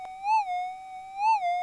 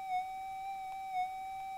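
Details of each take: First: Minelab GPX metal detector after auto-calibration, with ground balance not yet set; as the coil is raised and lowered, a steady mid-pitched threshold tone swells and rises in pitch twice. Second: Minelab GPX metal detector after auto-calibration, during ground balance with coil raised and lowered: steady mid-pitched hum holds level with faint brief wobbles — stable threshold tone, detector balanced.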